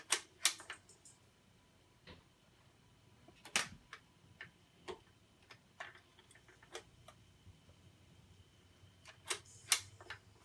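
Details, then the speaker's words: BSR C129R2 record changer, after cleaning and greasing, cycling normally with light clicks and clacks and no grinding. The arm moves across until triggered, then returns to the post. "And it would go across until it triggered it, and then move back and sit down on the post. That's basically the operation of one of these"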